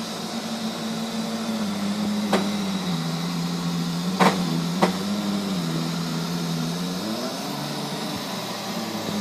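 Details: Neato robot vacuum, used fewer than 30 times, suddenly making loud noises at random intervals and lengths: a loud droning whir whose pitch sags and recovers, plus a few sharp clicks.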